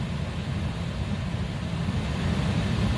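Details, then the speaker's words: Saturn Astra after cabin air filter replacement, key on with AC running: smooth, low, even blower fan rumble with no clicking, ticking or rubbing; blower runs normally. "so any noises that you didn't have before anything like a [Music] clicking or like maybe a pine needle or leaves fell into the blower motor or something like that and it's causing some sort of strange noise like you would have to take this back apart and vacuum back out but right now everything sounds fine"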